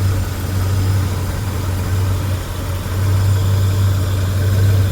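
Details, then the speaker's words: 1977 Mark Cooper (per owner) V8 idling steadily with a deep, smooth, even rumble and no clacking or ticking, after fuel pump replacement with a nice solid 5 PSI fuel pressure on a cold April day; the earlier clack clack is gone: normal idle. "And then no more clack clack clack clack clack clack."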